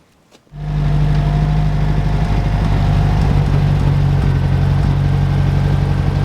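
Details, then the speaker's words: UAZ 469 (old, modified) engine idling on its first start attempt after sitting unused for a long time; catches right away, settles into a smooth, quiet, steady idle with no misfires or knocks; timing thought slightly off but close. "wow I do not expect that barely making any noise so for how rough these engines are made they are running surprisingly smooth and pretty quiet"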